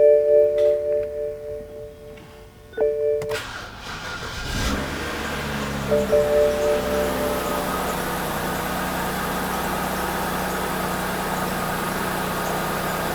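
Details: BMW E93 328i N52 engine, first start after oil pan gasket replacement and refill with 7 quarts of oil: chimes, quick crank and catch, steady even idle with no ticks or knocks; healthy.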